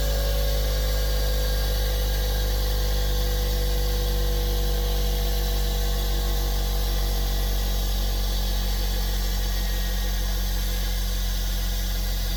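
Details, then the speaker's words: Bench grinder running after rewiring the switch, which had smoked while switched off; motor spins with a steady, even low hum, constant pitch, no rattle or grind. Normal running after repair. "okay, that's on. So far, so good. And there we go. It's working."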